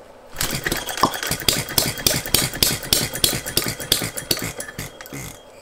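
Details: Philip Duclos Odds n Ends hit-and-miss model engine, after the cast iron rings were replaced by an O-ring piston: sharp, unevenly spaced firing pops about three or four a second. It runs lumpy, and the owner suspects a timing issue.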